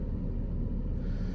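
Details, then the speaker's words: Engine after a cylinder 3 misfire was fixed by replacing overheated spark plugs, with no pending or stored codes: steady, even low rumble at idle with no stumble or skipped beats. "All I know is I ain't got a misfire anymore."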